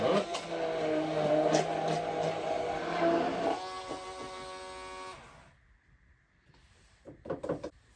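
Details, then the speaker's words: KitchenAid 5KHB2569 hand blender after resettable fuse replacement, blending under load to about 170 W peak, near rated: steady high whine holds firm then winds down cleanly, fuse didn't trip; repair successful. "Alright, it got its maximum up to 170 watts. So that's pretty good. That's about what it's rated at. It didn't trip."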